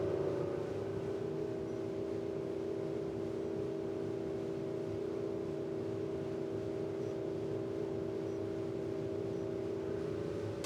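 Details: Industrial dust collector blower restored with new 3D-printed fan impeller with more blades, curved: steady, even hum, constant tone, no rubbing, rattle or wobble; big improvement, running normally.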